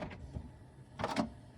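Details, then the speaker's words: HP Smart Tank Plus 555 printer, new, after being moved into place: short whirring mechanical bursts come and go; continues after trying to disable Wi-Fi; owner suspects a status signal, cause unknown; intermittent mechanism noise. "bizarre et là elle le fait alors peut-être pour c'est peut-être un moyen pour elle de dire voilà"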